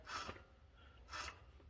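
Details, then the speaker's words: 2003 Dodge Ram 1500 front hub turned by hand, wheel off: two short dry rasps, gritty scrape of a dry wheel bearing, replaced along with control arms and ball joints. "now you can also hear the wheel bearing it's a little dry"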